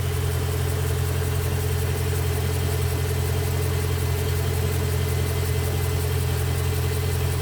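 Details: BMW M3 E92 V8, November 2008, 88,000 km, mainly city driven: light regular ticking about three a second at idle, which sounds like conrod bearings but is an exhaust manifold leak.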